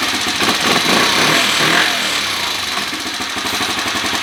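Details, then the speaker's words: 2013 Kawasaki KFX 50 quad with the air cleaner just refitted during carburetor tuning: the small single buzzes raggedly, revs wavering instead of settling, and won't hold a steady idle; owner plans more adjustment and raising the needle one slot. "you can hear it here it goes so it doesn't want to idle very good"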